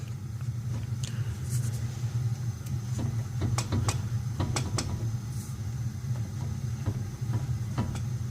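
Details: 2004 Ford Taurus, wheel rocked by hand: scattered sharp knocks over a low rumble from excess play; worn tie rod ends, both sides bad, clunking worsened while driving, tie rod being replaced.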